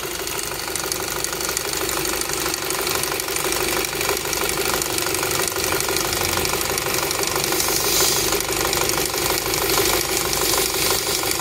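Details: Audi A3 with code P2279 for an intake air leak at the brake booster hose: a petrol engine idles with a slightly uneven beat under a strong steady vacuum hiss. Rough idle, check engine light.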